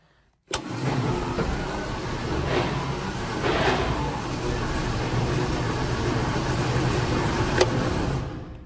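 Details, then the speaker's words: Centurion ARV (armored recovery vehicle) big engine at start-up: cranks, catches and runs unevenly with a hesitant pickup. Owner is not happy with the ignition timing: no power, wants to stall when the clutch is let out. Suspected over-advanced timing, to be double-checked. "yeah right I'm not I'm not totally happy with the timing just doesn't seem to pick up when you when you're R it when you let the clutch out it seems to want to kill it doesn't seem to have much power so I'm going to double check the timing"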